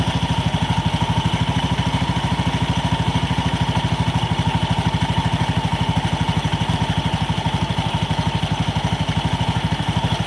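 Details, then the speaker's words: Honda Beat scooter: fast, steady clatter about three knocks a second heard when throttled over idle, plus an occasional squeal; cause not yet identified. "Nah, oke guys, ini teman-teman bisa dengar ada suara geludak gitu waktu digas. Di sini itu juga kedengaran suara gelak gelak gelak gelak."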